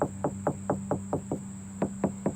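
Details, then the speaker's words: Knuckle taps on an Acura RSX body panel land dull and solid, not hollow, because it is caked with thick bondo filler that is visibly cracking: dull tap from thick body filler. "No, that's all bondo, baby. You can see all the cracks right here."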